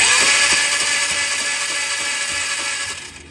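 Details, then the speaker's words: 2003 Polaris Trail Boss 330 ATV, customer-reported no spark: quick regular whirring cranking about three beats a second that slows and fades without catching; spark test at grounded plug confirms zero spark; gear selector not indicating neutral correctly, suspected. "now that we know that we can confirm there is no spark"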